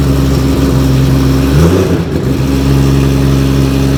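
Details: R32 GT-R race car, 3.4L Nissan RB engine on MoTeC ECU, first start, after the team suspected timing was out: even, steady idle with a brief blip around two seconds, firing cleanly; alternator charging about 14.9 volts; normal running.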